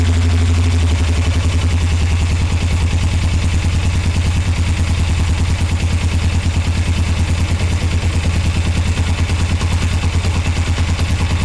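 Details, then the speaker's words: 1981 Suzuki GS450L, clutch cable being adjusted for hard pull and clack on release, top nut loosened: loping idle about two beats a second with metallic clatter near end of lever release; owner suspects cable adjustment. "So I don't know if y'all could notice that or not, but it took longer to let this out. Like, it just started clanking at the end."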